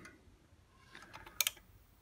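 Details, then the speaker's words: Galaxy Aqua 3000 (Glen Dimplex) electric shower pressure switch, pushed by bicycle-pump air pressure standing in for water pressure: a few sharp light clicks as the microswitches snap on and off, normal pressure switch operation. "really is pretty cool you can hear the micro switches clicking on and off there now"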